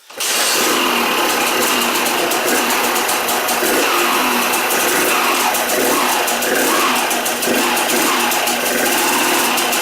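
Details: Rebuilt KTM 200 two-stroke started to check clutch and gearbox engagement: fires straight up and holds a fast, even ring-ding idle with no knocks or rattles; normal idle.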